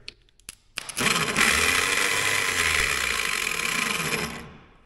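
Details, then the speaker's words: Caterpillar pony motor starter, electric: high light whirring whine spinning freely about three seconds and winding down; starter whirls without engaging the engine. "starters are whirling and not engaging anything in there"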